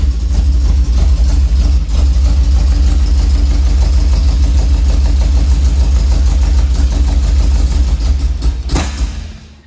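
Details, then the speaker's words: 1966 MG MGB that sat for years, float bowls full and fuel pump delivering: engine fires and runs rough and uneven on starter fluid for several seconds, then dies; spark is fine, it won't run on gasoline, fuel starvation, possibly old gas or dirty carbs. "since the engine wants to run we do have spark so ignition is not the problem our problem is fuel it's only running on the starter fluid and it's not running on the gasoline"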